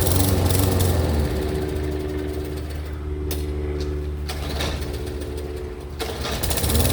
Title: 3814 mower won't start